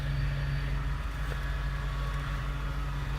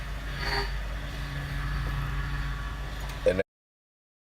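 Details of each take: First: Power steering after pump replacement and a leaking hose fixed, being bled with the engine running: steady low hum with faint whine from air in the system while the wheel is turned back and forth. The noise fades as fluid circulates. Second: Power steering after pump replacement and a leaking hose fixed, with the wheel worked back and forth while bleeding: pump noise drops to a softer, steadier hum once fluid circulates through.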